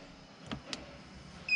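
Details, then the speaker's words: Fifth-wheel RV auto-leveling system: two soft clicks, then a steady high-pitched electronic beep, suspected to be the leveling error alarm. The fix is re-homing by holding retract until all jacks rise fully. "you can you can hear that there's no more error beeping in there now we can proceed with our auto level"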